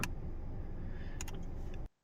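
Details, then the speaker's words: Hyundai/Kia electric power steering, engine idling: small steering movement is quiet, but turning further makes sharp clunks as the assist motor kicks in, caused by a worn plastic flex coupler. "It does not make the knock noise until you go just a little bit more, and that is when the electric motor is kicking in and making it clunk right here."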